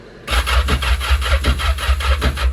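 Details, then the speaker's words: Yamaha GP1200R being converted to a GP1800R, with the newly installed engine cranking before fuel was added (tank dry): a steady, even starter chug with regular compression pulses and no grinding. It turns over freely and sounds healthy. "Sounds healthy. Healthy, very healthy."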